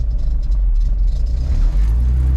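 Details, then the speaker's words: 96-00 Honda Civic swapped from D16Y7 to JDM B20B, first start on stock ECU with check engine light; deep rumble with loose rattling buzz and heavy vibration at idle; owner suspects the exhaust is restricting it, cause unconfirmed. "i feel like i feel like the exhaust is like restricting it look at the vibration"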